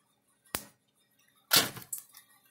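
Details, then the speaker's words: Gallagher S50/S20 solar fence energizer with repaired board, with overhead light on: sharp snapping spark clicks about a second apart, regular fast pulse, about 9.2 kV measured; works normally. "right overhead light on real quick see it does a nice little sport to it"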